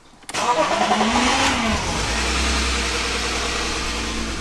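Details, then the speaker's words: BMW E36 with the M52 2.8L inline-six, on its first start in over 7 years after a fuel pump fix: it catches quickly and settles to an even idle with a faint light tapping. The owner suspects it may need an oil change; the cause is unknown. "It doesn't sound amazing. It's very, but then I've never heard one of these engines before. It just to me sounds a little bit tappy and a"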